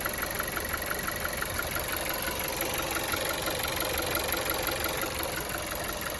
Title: Стук мотора TSI Фольксваген гольф 7